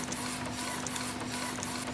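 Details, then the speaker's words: Epson printer, about 60,000 pages, after replacing the carriage motor that had heavy shaft play and was squeaking: smooth whir with steady low tone and light mechanism clicks, no squeak; carriage now runs quietly and normally. "мы не слышим никаких лишних шумов все четко и хорошо качественно"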